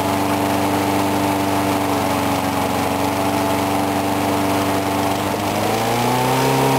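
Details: Briggs & Stratton mower engine cold-started at 35°F after long sitting, water suspected in the gas; started first pull. Steady even drone with slight rise near the end, no misses or surging; normal running.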